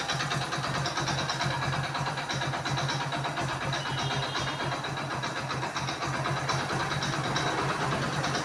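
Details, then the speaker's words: Splendor motorcycle engine, neglected servicing, little or no oil found when draining: busy rough idle with dry metallic clatter throughout; oil starvation has damaged the internals. "Sound ਤੁਸੀਂ ਇਹਦੀ ਦੇਖ ਹੀ ਲਈ ਆ ਬਹੁਤ ਖੱਚ ਖੱਚ ਕਰਦਾ ਮੋਲਲ ਕੱਢਣ ਲੱਗੇੀ ਥੱਲੇ ਮੋਲਲ ਵੀ ਇੰਨਾ ਕਹੀ ਨਿਕਲਿਆ ਇਹਦੇ ਚੋਂ"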